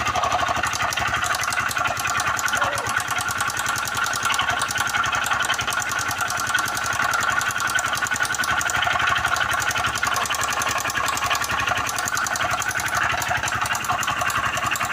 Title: barulho no motor biela#mecanico #dicas #motos